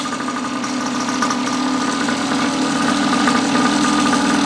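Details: Neglected long-stored 49cc two-stroke pocket bike after carb cleaning, new fuel tap, fuel line, filter and tank; light buzz holding steady even pitch with slight speed rise, no misfires or rattles; runs normally.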